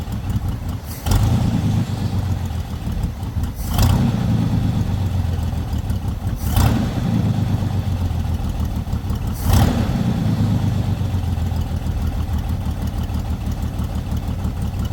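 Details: Lowrider V8 after the dipstick oil leak repair, now no longer leaking from the dipstick: deep, steady idle with a short rev about every three seconds, settling back evenly each time. It reaches idle faster than before. Normal idle.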